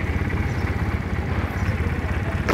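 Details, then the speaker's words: Honda Rebel 150cc twin-cylinder, liquid-cooled with radiator fan, original engine, single replacement fuel tank, at idle: low steady even putter with no knocks or ticks; normal smooth idle. "Máy cực kỳ êm, nổ như xe hơi"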